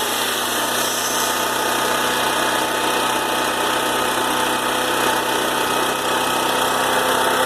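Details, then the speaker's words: Older Honda EM3500SX generator after carburetor cleaning following water-contaminated fuel, run about five minutes: constant drone at settled even speed, no surging or misfire until shutdown; running normally after the fix. "so whatever I ran my generator now about five minutes only hopefully I'm not back to it at a later date but it seems to be working now"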